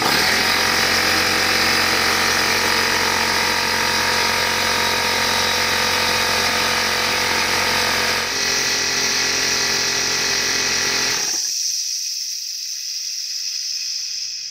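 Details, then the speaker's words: Old Craftsman (Porter Cable) air compressor after air-leak repair, tested before final assembly: steady rapid piston-pump chugging with bright clatter, even until shutoff and hiss; building pressure normally, around 100 PSI. "alright so we're somewhere around 100 PSI still looks good"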